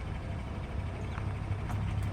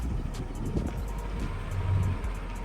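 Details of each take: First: 2014 GMC Sierra with 2.5-inch leveling kit, 17-inch Method wheels and 305/70R17 Nitto Ridge Grapplers: at full lock only steady engine rumble, no tire rubbing; rub occurs only mid-steering. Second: 2014 GMC Sierra on a 2.5" leveling kit with 17" wheels and 305/70/17 Nitto Ridge Grapplers, reversing at walking pace: short scraping catches as full lock is released, tire rubbing the fender trim; other side does not rub.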